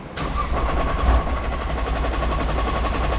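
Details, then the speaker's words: Nissan R35 GT-R with the fuel pumps unplugged to bleed pressure before installing AEM pumps: the starter spins the engine at a steady rhythm but it never fires, since there is no fuel pressure. "Where it just cranks, but nothing happens."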